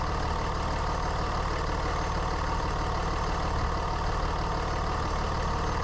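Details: Constant unchanging howl over steady diesel idle on a 3rd gen Ram Cummins running about 210; owner suspected turbo or fan clutch, stethoscope cleared pumps and turbo: worn alternator bearing.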